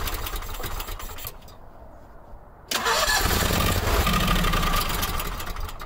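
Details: Howard Price Maverick 620 utility vehicle (Cub Cadet-built) in neutral with parking brake on, electric fuel pump just primed: the engine catches after a pause, runs rough and uneven briefly, then fades; hard start from a gummed-up carburetor, to be removed and cleaned.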